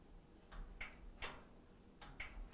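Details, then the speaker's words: Kenmore washer (not draining) lid switch after remounting: several crisp sharp clicks in quick succession as switch is pressed; normal lid switch click. "that's the click you want to hear"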